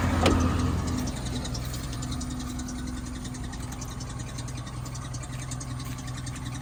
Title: Suzuki APV 1.6 engine troubles. No power, knocking/misfiring sound. Turns out the head is cracked.